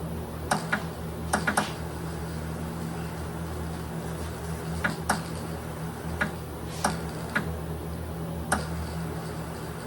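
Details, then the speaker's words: Powder coating gun on a Greener KK HD system spraying a bird bath: sharp, irregular snapping crackles over steady low air hum, electrostatic discharge because the kV is set quite high. "I can hear the crackling cuz my KB is up quite a bit but I'm using a Greener uh KK HD system right now"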